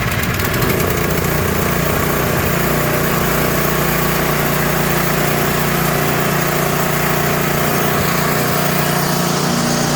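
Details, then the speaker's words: Troy-Bilt Squall 210 snow blower (model 31A-2M5E711) after ultrasonic carburetor cleaning; it would not start after sitting with fuel and surged, ethanol blamed. Loud, steady small-engine roar at constant speed with no surging or stumbling. Normal running. "This thing is now just running perfectly again after we clean that carburetor."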